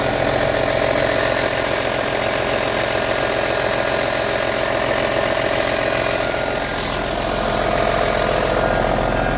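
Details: Audi A4 B6 2.5 TDI 120 kW diesel at cold start in cold weather: busy, rattly clatter with steady whirring hum at idle; strange noise, cause unclear.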